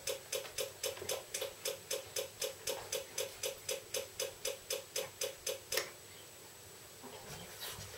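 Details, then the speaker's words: Points-type external electric fuel pump on a Yamaha Virago XV535 bobber project, run on test, ticks steadily about four times a second but delivers no fuel; points appear stuck together from heat, pump to be replaced. "yeah you can hear that ticking away clearly it's really not doing its thing at all"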